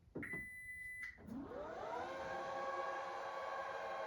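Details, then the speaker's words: 2021-2026 Toyota Sienna power back door buzzer after replacement: a clear high beep, then a steady rising electric whir as the tailgate moves; the buzzer works normally. "And confirm that it's making a proper beeping sound after replacement."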